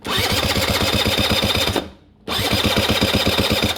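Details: Honda Dio scooter after cleaning oil flooding from a leaking oil pump and fitting a temporary gravity-fed tank for a failed fuel pump: quick, even starter churning about four turns a second, stopping and restarting, with no firing. It cranks but won't start.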